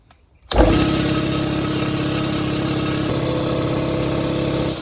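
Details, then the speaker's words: Used 60-gallon air compressor after replacing faulty check valve and seal: motor kicks in and settles into steady even drone with smooth pumping note, no hiss or knocking; no more leak at valve, pumped to 50 psi. "Cool. So no more leaking from here. Got it up to 50 psi because I've got a leak over here that right here that I'm gonna have to fix. But no leaks in there."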